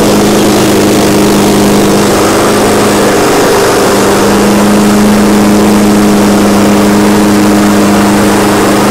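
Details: Exmark Commercial 21-inch push mower after spark and carburetor repairs, warm: small single-cylinder engine holds a steady, even drone with clean pitch and no misses or surging; normal running.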